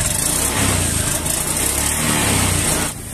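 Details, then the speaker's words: Honda Beat eSP scooter with error code 52, revving on throttle; revs rise unevenly and chop in and out, hesitation and lack of initial pull; engine stutter on throttle. "Nah itu ya terasa nyendat-nyet berebet-brebet loh"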